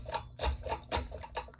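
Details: 48-inch Hunter Discovery ceiling fan running: sharp light ticks about four times a second over a quiet hum, a steady tick on every turn; fan is noisy.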